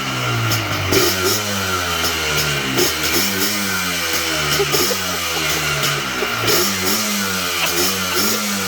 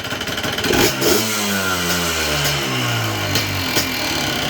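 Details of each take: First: Cold Yamaha Blaster YFS-200 two-stroke ATV, previously bogging and stalling, blips up and down freely and cleanly without stutter after looping the brake switch wiring to bypass the faulty brake switch. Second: Yamaha Blaster YFS200 two-stroke ATV, cold, blips and chops like a two-step instead of revving out, bogging and stalling; cause is the brake switch limiting revs, fixed by looping the switch wiring.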